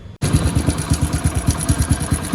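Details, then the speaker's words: Hero Splendor motorcycle idling before repair: a rough, rapid tractor-like "khat-khat, kit-kit" metallic clatter over the engine thump from a faulty timing chain, later fixed. "आवाज कर रता engine के भी मतलब tractor की तरह खट खट खटखट खटखट किट किट किट की आवाज आ रही थी इसमें वो बहुत बेकार लग रहा था"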